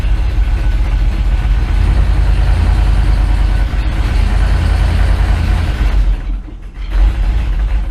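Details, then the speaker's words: 1984 Dodge Ram D150 V8, in first gear while brake torquing: deep heavy rumble that stays low and strains without climbing freely, then briefly dips, bogging under load; owner suspects worn clutches in the Posi rear end, unconfirmed; engine labouring under load. "Under load, she has a hard time."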